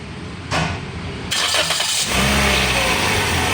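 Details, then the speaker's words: Toyota Vios that has had its tensioner replaced twice, engine started with the drive belt removed: settles into a quiet even idle, no squeal or chatter, so the engine is fine; noise suspected in a pulley, often the water pump. "Yan o, walang ingay. Walang ingay. Wala ingay. Oh, walang problema sa makina to."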